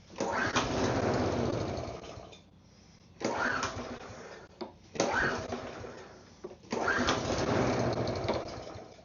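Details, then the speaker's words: Neglected mower with fresh fuel and carburetor cleaner still in the system; the engine catches, runs rough for a second or two, then fades, several times; owner suspects the carb cleaner or fuel. "Oh, almost. Again, that could have been the carb cleaner in there."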